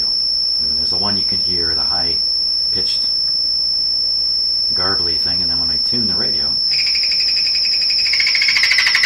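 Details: Deforest 10DA517 AM radio running glass tubes instead of the specified metal tubes: a steady, piercing whistle above warbling tuning tones; the radio has multiple oscillations, cause not yet found.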